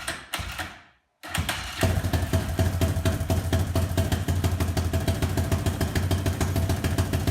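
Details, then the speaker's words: BSE J10 single-cylinder four-valve dirt bike, fully repaired with new oil and chain, first start after rebuild: brief hush, then catches and settles into a steady, even thumping idle with no knocks or rattles; normal start and idle. "Perfect. Just music to my ears. Fire and glory."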